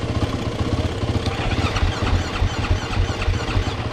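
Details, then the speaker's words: 2013 KTM 450 SX-F motocross bike with a fully flat battery, choke out, in neutral; charging read 14.4 V. Rhythmic starter churning at about two beats per second that never catches; the battery may not be giving enough voltage to fire the ignition. "good prank let's charge it for a little bit maybe not getting enough juice to power the ignition system"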